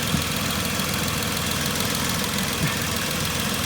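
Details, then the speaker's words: 2010 Vauxhall Corsa 1.0 Ecoflex three-cylinder at idle, after the swirl flap vacuum pipe is pulled off: steady, even idle with a smooth hum, the rattle from worn inlet manifold swirl flaps completely gone; quiet and healthy. "that's amazing now the engine's lovely and quiet"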